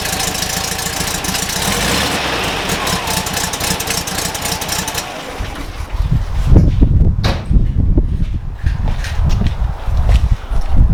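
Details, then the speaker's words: VW Kombi engine idling steadily and smoothly with no misses or stumbling after fitting the rebuilt carburettor and tuning it; runs much better than before, normal idle. "i'll start it up and it runs so much better"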